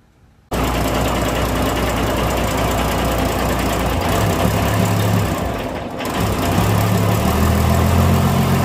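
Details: Diesel engine whose valve clearance keeps loosening after adjustment: steady idle with fast light tapping about four per second; excessive valve clearance tappet noise, causes checked being worn tappet lifters, cam lobes, adjusting nuts and rocker arm bushes from poor oiling.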